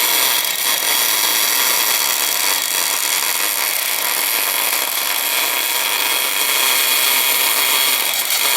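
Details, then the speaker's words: Elsa Supercombinata Compact orbital machine on its first job, working on cast iron: constant hissing, scraping cut at an even level with no chatter or knocking; sounds good. "Du kannst vielleicht noch etwas weniger Draht legen. Ja, hört sich gut an."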